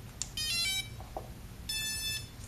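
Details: On power-up of a DIY FPV Spider Quad with props fitted and battery just connected, two short bursts of high, clean electronic tones sound: the normal ESC startup tune, nothing out of place.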